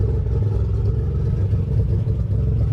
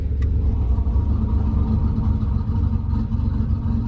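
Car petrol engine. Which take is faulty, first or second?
first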